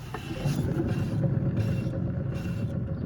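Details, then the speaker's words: 1991 Buick LeSabre Limited, driver rear wheel raised and rolled by hand: low, rough groaning rumble showing a bad hub bearing, which was replaced. "You hear that groaning noise? That's a sign the bearing's bad."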